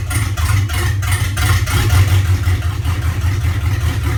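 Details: LQ4 V8 idling with an uneven, lumpy beat, puffs about three times a second that never settle; rough idle, cause not pinned down.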